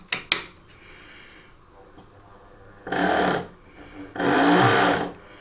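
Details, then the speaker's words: Hornby R2632X 45531 Sir Frederick Harrison BR 4-6-0 Patriot Class loco, sold as mint and on its first run: two short bursts of rough whirring as the motor spins but the drive doesn't take up. It is possibly slipping out of a gear. "okay something not sounding right there so that sounds like it's uh possibly slipping out of a gear h yes so do we have we have a problem there"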